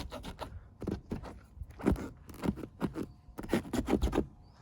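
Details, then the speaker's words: BMW F30 with black trim instead of chrome: door rocked by hand gives repeated rubbery creaks and scrapes. The door trim squeaks over bumps where the trim rubs, and the fix is coating those contact spots with silicone. "надо просто взять вот это все промазать хорошенько силиконом и все исчезнет это прямо точно говорю сейчас покажу вот слышите как скрипит это все"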